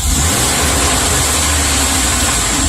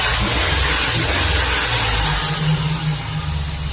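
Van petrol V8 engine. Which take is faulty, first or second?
second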